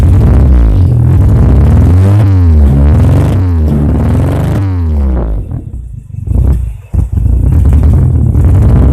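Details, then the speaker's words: Carburetted car warming up: uneven, choppy "brebet" exhaust note stumbling as revs drop, an engine misfire; owner suspects late or dirty fuel or a dirty carburettor, possibly spark plugs, plug leads or points/condenser. "Seperti tadi waktu saya panasin, mesin ini di suara knalpotnya aja juga udah nggak enak ya, berebet kayak gitu, kayak ada sedikit permasalahan kalau nggak bensin telat, kotor, karbu kotor gitu ya."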